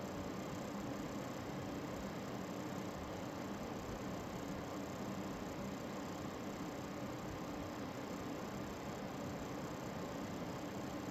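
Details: Lian Li TL LCD 120 case fan, under a year old, set to full speed: steady fast buzzing rattle over airflow hiss; normally audible over other fans when rpm changes.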